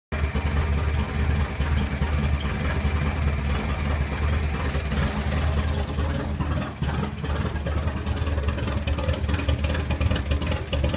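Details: Renault R5 with a Campus Turbo engine swap: rough idle at start-up and while running, an uneven, lumpy beat with a wavering low drone.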